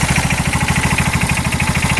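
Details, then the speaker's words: 2022 Massimo T-Boss 750 EFI UTV: steady, even idle with a regular quick pulse and no knock or clatter; not smoking; sounds healthy, though the owner notes a rod bearing could still be bad. "sounds good at idle doesn't it not too bad"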